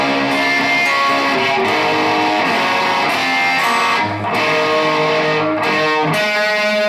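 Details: Mojotone Plexi 100W kit amp running on two balanced output tubes after removing the mismatched pair that caused fizz: clean, even guitar chords with no hum, crackle or fizz; normal clean tone.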